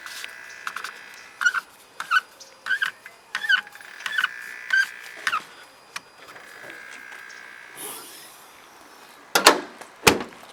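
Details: BMW 335i N54 electric water pump, activated by holding the gas pedal for 10 seconds, gives short, high squealing chirps about once a second, then a longer screech; the pump is failing and not pumping coolant to the reservoir.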